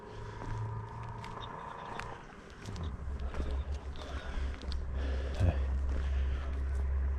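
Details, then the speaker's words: BMW E46 316 Ti Compact bought for 600€ and sold as lacking power, arriving at full throttle with a deep, coarse, tractor-like chugging drone; engine running rough and short of power. "Non, ce n'est pas un tracteur ni une voiture sans permis qui arrive pied au plancher, mais bien une E46 compacte qui était vendue comme présentant un manque de puissance."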